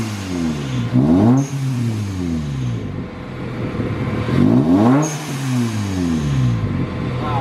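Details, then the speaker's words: Manual supercharged Toyota Tacoma after an exhaust change. The deep, full exhaust note rises and falls smoothly through revs and sounds meatier, with no rasp or buzz. "It's definitely meatier. It sounds meatier, but it's not raspy. It had that rasp when we first started it."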